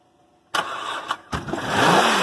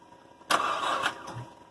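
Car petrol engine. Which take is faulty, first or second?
second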